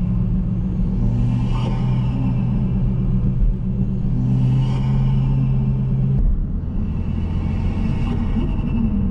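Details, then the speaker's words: Chevrolet Cruze (second generation) with big turbo swap running about 30 psi, GFB diverter valve fitted; under road rumble, each throttle lift gives a brief airy flutter and whoosh as the turbo struggles on decel: compressor surge on deceleration. "i mean this thing sounds good when it opens but i can hear that noise i don't know if you guys can hear this noise"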